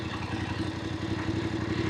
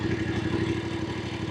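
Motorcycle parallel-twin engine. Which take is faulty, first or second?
second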